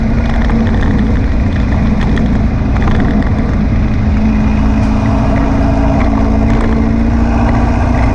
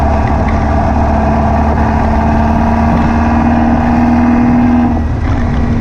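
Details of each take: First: Air-cooled VW beach buggy driving after clearing a blocked idle jet in the driver's-side carburettor and rebalancing the carbs: an even, steady drone at a constant pitch with no popping or stumbling. Tickover is slightly fast but it runs clean. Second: Air-cooled VW beach buggy after new plugs, leads and distributor arm: revs with an uneven, stumbling beat and a dip near the end. It still misfires and pops under acceleration, and the owner suspects overfuelling. The cause was a blocked idle jet in one carburettor.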